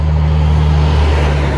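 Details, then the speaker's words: Massey-Harris/Ferguson 35 combine, 6-volt system, first start attempt: slow, even cranking drone, no firing. Good even compression; owner suspects slow 6-volt cranking weakens spark and narrows plug gap. "Well, no go. I'm gonna quit for today. I'll be pulling the plugs next probably. You can hear it seems to have good even compression."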